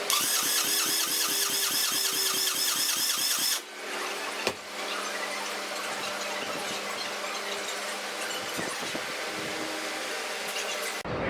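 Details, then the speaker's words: RX-7 engine that sat two years with only the springs changed, cranked without a priming tool: a steady crank at about two and a half beats a second, with no firing. The lifters start pumping up and oil pressure appears to build. "it does feel like the lifters are starting to pump up so i think we have oil pressure"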